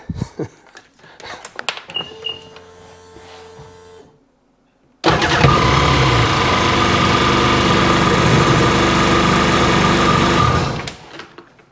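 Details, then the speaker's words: Sea-Doo personal watercraft engine that sat seven months without running, started once the battery was hooked up: it fires within about a quarter second and runs steady and even with no misses or knocking. Normal start after storage. "that engine sat for what 7 months without running and I have not started it yet until just that second and what it took like a quarter of a second to start"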